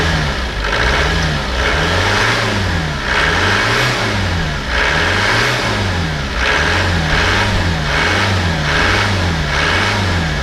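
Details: Land Rover Discovery diesel from a Copart salvage auction, first start on jump leads with the stop solenoid held: diesel clatter rising and falling smoothly as the throttle is blipped, even firing throughout; normal running and revving.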